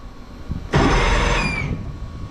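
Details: Two-stroke outboard on a tinny, unused for nearly 10 years, key-started on a new battery: a sudden whirring crank for about a second, then it drops away; the starter motor spins the engine normally.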